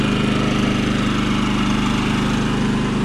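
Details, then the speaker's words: Champion 3400 inverter generator running after carburetor cleaning, on auto throttle: steady, even drone with smooth low pulse, no misses, knocks or smoke; no-run fault fixed. "sounds very good it doesn't smoke at all either right on looks like we fixed it"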